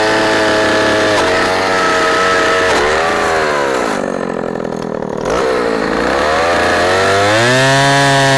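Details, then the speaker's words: 44-year-old Husqvarna L65 chainsaw with points ignition cutting a big oak log: high two-stroke wail drops in pitch as the chain bites into the wood and climbs back cleanly. Less rpm than modern saws but lots of torque; normal cutting under load. "i really enjoyed bringing the sole saw out of retirement and cranking it up and and running it for y'all and it's amazing how well it still cuts after all it is cut and as old as it is"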